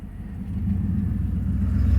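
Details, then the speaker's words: 1999 Chevy Tahoe Limited (OBS) V8, first drive in 10 years after cheap injector fix, pulling away: deep even rumble building smoothly, no stumble or miss; engine sounds good, normal running. "so anyway guys yeah you can hear the motor sounds good in this thing"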